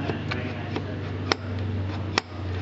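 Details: SU H-type carburetor after centering the jet and tightening it down: two distinct solid clunks over a low hum as the piston drops cleanly onto the bridge. It falls freely, with no needle dragging in the jet.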